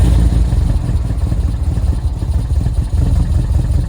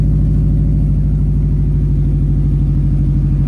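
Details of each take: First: 2005 Subaru STI, very first start on replacement engine for break-in, check engine light on: loud deep idle with choppy uneven beat and some clatter; rough idle. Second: 2005 Subaru STI, rebuilt after a blown motor, first start with a new turbo; residual oil burning off the exhaust: steady, even low burble at idle with no ticks, rattles or whistles; healthy idle before a boost smoke test.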